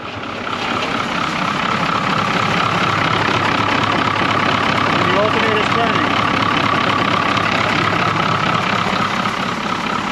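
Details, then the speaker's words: 1981 International Harvester diesel snow plow truck that sat for years, after a locked-up alternator was found, with water in it: steady, even clatter at idle, about two and a half beats a second, running well. "it's running pretty good actually if you ask me water in it so I'm not going to run it too long but um it runs"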